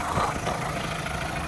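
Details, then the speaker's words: Fire-damaged VW Caddy truck (ABA swap build) restarted while possibly low on fuel, fuel pump noisy; steady, quiet, even low rumble with no stumbling or shaking; normal idle. "It's a nice quiet motor. Sounds great. It's not shaking all over the place."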